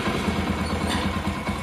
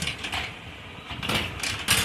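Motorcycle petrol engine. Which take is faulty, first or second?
second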